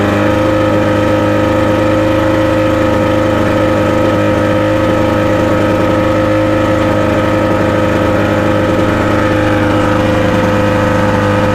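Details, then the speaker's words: 1989 Mercury 50 HP outboard on a 16 ft Lowe boat, cold, running on flush muffs, impeller about a year old: fires right up and holds a steady, even two-stroke idle with a constant buzz, no misses, knocks or hunting; normal idle. "But I mean, it fires right"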